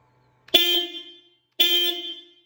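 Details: BMW R18 motorcycle's original stock horn before replacement with BMW part 61 33 8 381 271: two short honks under a second each, bright, thin, high-pitched and weak-sounding; normal stock horn tone.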